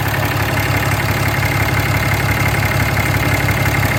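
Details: 6.7 Cummins diesel idling with a quick regular tick about three per second over the clatter, heard near the EGR; source not pinned down.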